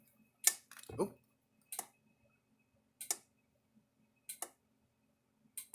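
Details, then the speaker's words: Kencove K8 electric fence charger, powered on with its cover on after the board was cleaned: sharp crackling snaps every second or so, harsher than normal pulses; the board arcs at the cleaned spot and may need a new board. "Let's see if it's where it arced at. Oh. Right there, right where I was cleaning that. It's arcing"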